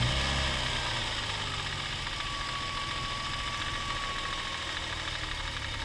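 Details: Toyota 1G-FE (Altezza / Lexus IS200/IS300), fully warmed, even idle: light rhythmic knock, about three per second, from the front under the timing cover. Absent cold; owner suspects the VVT clutch, unconfirmed.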